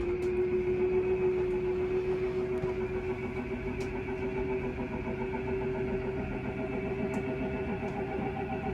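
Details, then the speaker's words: Forest River Surveyor Legend 240BHLE RV power slide-out retracting from the control panel: quiet steady electric hum with faint constant whine, normal operation; a click-grind at the end signals when to stop the motor. "I'm gonna push slide out in, and you can hear it sliding in."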